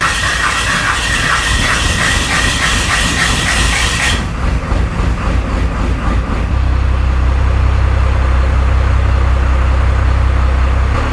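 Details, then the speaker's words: 1993 Dodge W250 12-valve Cummins diesel, first start after head gasket replacement and fuel bleeding, catches and settles into a slow, heavy, even chug with deep drone; good oil and fuel pressure, but idle sits too low and needs raising. "it looks like my idle is going to have to go up a little bit. We got good oil pressure, good fuel pressure."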